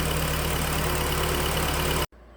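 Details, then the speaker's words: 2009 Hyundai 2.4 petrol, first start after timing chain, oil pump chain and components replaced to fix a cranks/no-start: smooth, even idle with a steady low hum and no apparent misfires, then shut off. "well that's a little better than not running doesn't appear to have any misfires"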